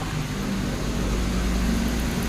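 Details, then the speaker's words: Hyundai Elantra with a no-click, no-start complaint, fuel pump replaced, now started: steady even low hum at idle with no misses, knocks or stumbles; engine idles smoothly and healthy. "Ma andar na mga boss so Ayan oh at maiis na yan boss ngayon pagis yan ayan na siya So umandar na yung unit ni sir"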